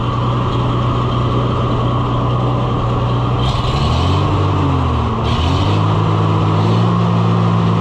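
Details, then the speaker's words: Oliver 1800 C series tractor, 310 cubic inch gas engine revived after sitting about a year: steady low rumble that sags, wavers and stumbles once the choke is pulled, loading up and dying; stall from choke misuse. "I was playing with the choke. That was dumb. I made it not happy. And now I'm not happy cuz it died."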